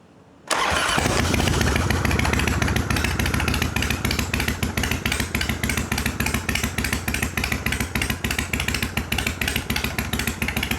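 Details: 1993 Harley-Davidson FXDWG Dyna Wide Glide Evo, not run in years, after carb ultrasonic cleaning and adjustment, choke off, in shop: catches at once into even loping idle, no misses or popping; sounds good.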